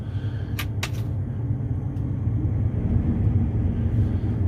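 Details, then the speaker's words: Combine harvester started to check the tailings chain after it was tightened slightly to cure a squeak: deep steady rumble with a couple of brief clicks, no squeal, so the chain sounds fine. "sounds okay from here. I'll get out and look at it."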